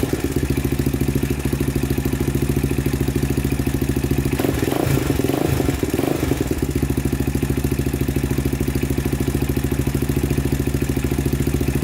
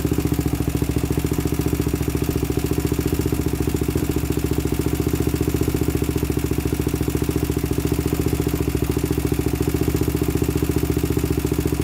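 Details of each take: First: 2000 Honda 400EX with cheap eBay piston and cylinder, valves set to 0.004 in intake and 0.005 in exhaust, after cam chain tightened: steady even single-cylinder idle with only light ticking, far less rattle; normal idle. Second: 2000 Honda 400EX quad with cheap eBay piston and cylinder, first start: fast, loud idle with light regular top-end tick; suspected slack timing chain or valves out of spec, adjustment planned.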